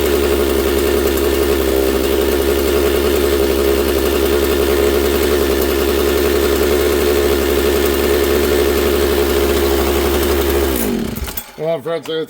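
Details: Husqvarna 66 two-stroke chainsaw, freshly assembled, bench run before carburettor adjustment: fast, buzzy lean idle hangs high, slow to return, then cuts off; owner attributes it to air density and elevation, low jet later adjusted.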